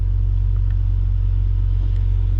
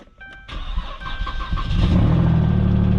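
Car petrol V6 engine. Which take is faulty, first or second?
second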